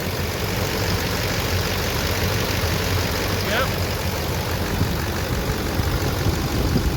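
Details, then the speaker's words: 2006 GMC Sierra 3500 diesel idling after a Hydroboost brake booster replacement: steady low idle with even, light diesel clatter and no misses or odd knocks. Normal diesel idle. "Alright, we're running, obviously. You hear the clatter of the diesel. Looks like everything is tight."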